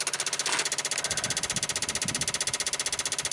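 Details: 1995 Dodge Ram V10 cold no-start, engine off: ignition module plugged back in, PCM 8 V reference jumps from 3.6 to 6 V and ASD/fuel pump relays chatter machine-gun fast and even; failing PCM 8 V regulator.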